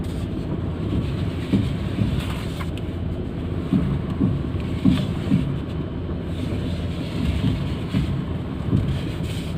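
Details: Maruti Suzuki Alto K10 steering: dull knocks at uneven intervals, several per steering-wheel rotation, over a low steady hum while turning the wheel.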